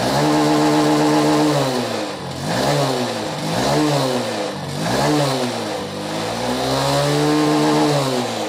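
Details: BS6 Honda Shine single-cylinder after fuel pump work, pump pressure 30, self-started and left idling: steady idle, then several smooth rev blips rising and settling cleanly without stumbling; normal idle and revving.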